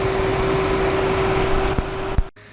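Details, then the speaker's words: Tesla Model 3 supercharging at 100 kW, battery almost 40 degrees: AC fan cooling battery with all vents open, loud steady rushing fan with mid-pitched hum that cuts off abruptly; normal battery cooling. "See, all the vent openings are open. Air condition is on and cooling the battery."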